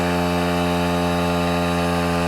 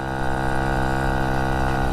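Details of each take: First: Vespa Ciao moped with brand-new, never-run replacement engine and new exhaust, ridden during break-in: steady, even buzzing two-stroke pulling cleanly under load, pitch climbing gently with revs, no misfire or knock; running healthy. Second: Vespa Ciao with a new engine, 43mm DR kit and new exhaust, at steady speed: uneven burbling four-stroking instead of a crisp ring, not reaching the power band; owner suspects the 50 jet is too big and needs about a 48.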